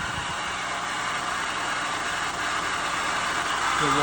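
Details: 2006 Chevy Malibu LT Maxx 3.5L V6 idling: steady whirring, squealing hiss over the engine from a worn water pump bearing (first suspected power steering pump, but it has electric steering); fixed by replacing the water pump.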